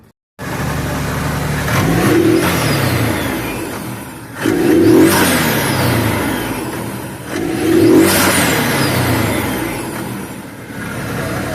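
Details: Can-Am turbo side-by-side, suspected turbo noise, exhaust plate with mismatched bolts: engine revs up and settles three times, clean and even with no exhaust puffing or ticking.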